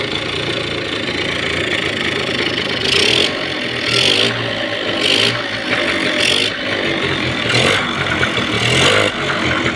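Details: 30-year-old TVS Scooty ES scooter after fixing its starting problem by refitting the spark plug; self-starter and battery are bad, started with the key on. Small engine ticks over with light throttle blips and even firing, no rattles; healthy idle.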